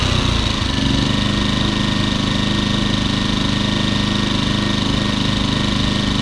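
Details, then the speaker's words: Champion 2000W 73536i generator, about 16-24 hours of use, after cleaning the idle jet and carb to cure surging; steady, even drone with no hunting or surging while the economy switch is toggled. Normal idle. "that's what it's supposed to sound like I was just switching the economy switch"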